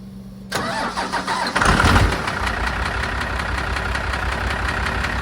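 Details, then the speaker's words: Cummins 12-valve in rat rod project, supposed to run, battery on charger: cranks and catches, uneven idle with sharp repeating tap roughly three or four a second over the clatter; engine knock before teardown. "I've got it on the charger and I'm going to start it up for you guys so you can hear the knock and see what we are dealing with here"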